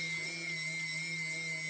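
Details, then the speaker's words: TBS Discovery quadcopter, TBS 900 KB motor (engine number four) on its first spin before tape balancing: steady high whine with a low buzz underneath, a lot of vibration, so it needs balance tape like the other motors. "lot of vibrations so let's guess that we need some some same size that I have used on the other engines"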